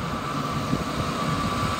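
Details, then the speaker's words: 1999 Ford F-250 5.4L V8, 125,000 miles, warm after about 30 minutes running, no overheating: smooth, even idle hum with faint steady fan whir, no knocks or misses; normal idle. "5.4 liter V8 sounds good."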